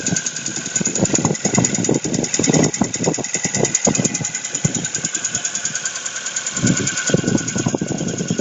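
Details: Ford Focus 2, 1.6 petrol (115 hp), cold start at +6 °C, quieter once warm: a hard, rapid metallic knock on every firing stroke after a spark-plug ceramic fragment fell into the cylinder and damaged the block; oil consumption, needs overhaul.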